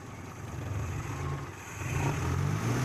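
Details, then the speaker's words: Carbureted Suzuki Espass that died at low RPM and started hard, after the carburetor was taken apart and its idle jet cleaned: low, even engine rumble holding idle on its own with slight swells, no stalling or hunting. "Hai ternyata sudah bisa langsung stasioner yo"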